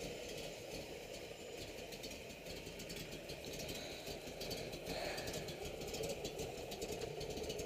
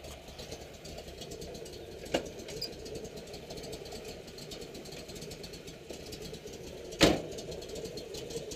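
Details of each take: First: 1969 Camaro Z28 V8 with a cam, at steady lumpy idle, with a light tinny rattle on top from a loose exhaust section. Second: 1969 Camaro Z28 V8 idling: steady idle with a slight cam lope and occasional sharp tap, exhaust rattling a little where it is loose; healthy engine with a bigger cam.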